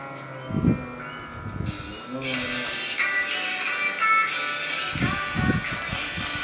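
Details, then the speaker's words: MacBook Pro with blown subwoofer speaker, before repair, playing music at full volume: scratchy, squeaking, rattling bursts on deep bass beats. "did you hear that scratching, squeaking sound?"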